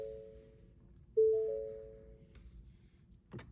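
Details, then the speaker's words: 2018–2021 Ford Expedition, stop-start button pressed once without brake to turn ignition on during smart key fob programming: a single clear mid-pitched ding fading over about a second, the normal ignition-on chime. "So that's going to be pressing the stop start button one time without pressing the brake. And we're going to listen for it to stop dinging."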